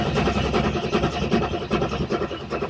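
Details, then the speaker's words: 1986 Chevrolet Corvette that had sat with an elderly owner, battery charged, cranking at about five beats a second. It sounds like it wants to start but never fires; the fuel supply is being checked as a suspected cause. "engines cranking over it sounds like it wants to start"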